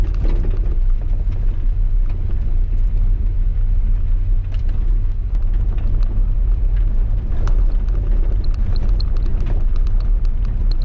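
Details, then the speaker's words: Long-sitting 1989 Chevy S10 pickup, first start of its revival: fires right up into a deep, steady four-cylinder rumble, even and unbroken with no knocks or misses; normal running. "Fires right up. This is a This is going a lot easier than I thought it was going to go."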